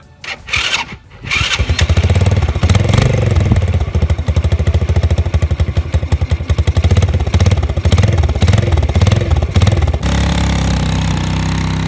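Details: 2005 Baja 90 quad, first start after an oil change: a few cranking bursts, then the small single catches and settles into a quick, even popping run; healthy.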